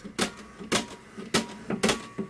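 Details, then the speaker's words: Rock-Ola 5000 CD jukebox page unit with a 24 V DC motor, tested before motor teardown: sharp mechanical clacks about every half second as the pages snap over cleanly with no drag; page flipping works normally. "you can hear the pages that works that works beautifully there's nothing wrong there"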